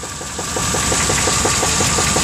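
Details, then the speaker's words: Truck engine sold as rebuilt with 10,000 km, knock began two months later and became noticeable after an exhaust change; recorded underneath near the torque converter: sharp regular knocking about six per second over rough idle, louder there; cause unknown. "The knock's a lot louder down here. Not sure what this knock is."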